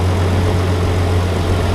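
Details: 1965 Plymouth Valiant 170 slant six, previously stalled after 3-5 minutes from carb boiling due to missing heat riser; after junkyard exhaust manifold with heat riser valve, junkyard intake and reman carb: normal idle, smooth even low hum, steady beat, no misses or knocks.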